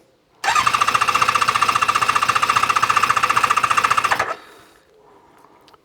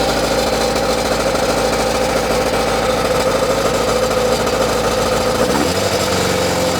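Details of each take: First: ZZR600 four-cylinder during restoration, after exhaust work, on a hot ~30°C day, ignition on with a little choke: quick, even starter cranking, about four strokes a second, with no firing yet. Carb fuel level is dropping as they fill, with no carburettor leaks. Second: ZZR600 four-cylinder under restoration, with a cap fitted in the exhaust: even, busy idle with a steady beat and no misfires for about nine seconds before shutdown. Normal idle on all four cylinders; it hangs slightly on revs.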